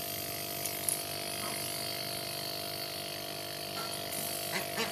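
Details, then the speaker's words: Scrap refrigerator compressor used as tyre pump, after being cut open and refilled with oil because it ran dry and couldn't suck air: even buzzy hum with fine rapid chatter, constant tone; pumping normally after repair. "Vlog này của mình nó bị khô dầu thôi, nó khô dầu nên mình nó không hút được vào nên phải cắt ra để cho dầu vào. Sau khi cho dầu xong thì nó đã hoạt động bình thường rồi."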